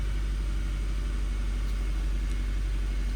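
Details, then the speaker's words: 2013 Nissan Sentra with rough idle and shaking: low idle rumble with an uneven, stumbling beat; scan tool shows misfire on cylinder 2 with no fault codes; coil moved to test it; misfire from a failing ignition coil. "oh see misfire is not there but I'll start feeling the misfire right now"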